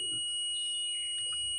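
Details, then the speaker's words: Mobile phone charger fuse checked with multimeter continuity mode, both leads on the fuse: a steady, high, unbroken beep shows continuity, so the fuse is intact. "जब आप इसमें multimeter की दोनों lead लगाते हैं तो इसमें देखिए बीप की आवाज आ रही है।"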